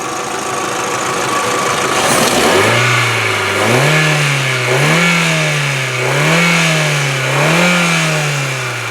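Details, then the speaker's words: 2000 VW Jetta 2.0 four-cylinder with 212,000 miles, timing belt done at 177,000; four smooth rev blips from idle rising and falling cleanly with no knock, rattle or miss; normal revving. "okay not bad I mean listen remember this is excuse me an engine with 212 000 miles on it"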